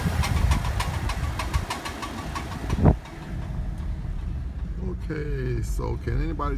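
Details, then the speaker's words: Car driving, clicking from left driver's-side front wheel area: sharp, evenly spaced clicks about three a second over road and engine noise; a friend suspects a bad CV joint, unconfirmed. "Okay, my car is making a strange clicking noise on the left uh driver's side and I'm not quite sure what it is"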